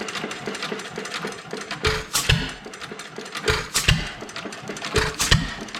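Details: Old Domestic Type F engine with a mud sucker pump, governor spring shortened about a quarter inch, some blow-by at the exhaust valve: sharp firing pops in spaced bursts with coasting between. It runs evenly but too slowly to pump water.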